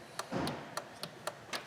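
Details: High-mileage Honda Accord with no wipers, key on, wiper switch toggled between high and low: crisp light clicks about every quarter second from the box, with no motor hum. The relay switches but the wiper motor is dead.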